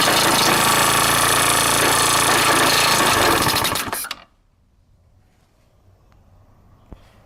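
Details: Honda Dio SDH125T-27 scooter: sharp metallic rattle about four times a second over the running engine until shutdown; abnormal engine noise, owner suspects a bearing.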